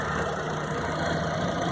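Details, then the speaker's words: Chevrolet Astra 2000 after replacing the water pump, the accessory belt tensioner bearing, the accessory belt and the timing belt covers, earlier noise near the belts: steady, even idle hum with a light hiss and no knocks, squeals or bearing whine. "motor funcionando redondinho aí"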